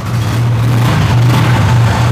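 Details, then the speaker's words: Motorcycle just started after water was mixed into the petrol tank: steady, even low rumble holding its pace, no misfires, knocks or hesitation; engine still running normally for now. "कि गाड़ी अभी बिल्कुल first class है ना"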